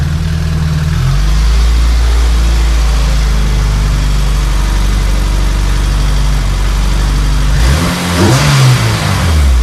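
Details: Honda CRX with LS-VTEC swap, after fully welding the new muffler seam, turn-down and hanger: deep smooth exhaust drone at idle then clean rise pulling away, no rasp; rasp was from the muffler not fully welded on.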